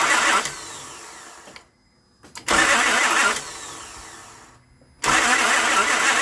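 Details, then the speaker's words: Towed-in car that cranks but won't start: starter spins in bursts that cut out and restart, with quiet gaps and no firing, not even a backfire, even with ether sprayed in. Intermittent starter engagement suspected to be a worn ignition switch (unconfirmed). "Again, I sprayed ether in there, nothing. So I'm gonna do that while it's on camera, just to show that it don't work. I mean, it wouldn't even backfire."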